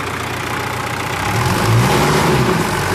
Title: W123 OM601 - First start after engine change